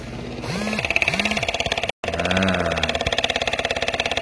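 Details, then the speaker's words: Add-on electric fuel pump (from carbureted car) on modified Traill GTX motorcycle, switched on by button to feed carb from tank on climbs: steady even ticking about 3.5 per second; pumping normally. "Nah, saya bisa mengaktifkannya pakai tombol di sini. Ini akan berbunyi, kedengeran."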